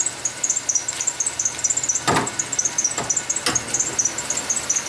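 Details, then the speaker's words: Chevy Venture van, engine running: faint, irregular high chirps about once a second over a quiet engine; one of two idler pulleys or the tensioner bearing is squealing, worsening over the past week. "all three of those parts have bearings on them that can fail and produce this type of symptom you can hear it all in the background a little bit of a squeak"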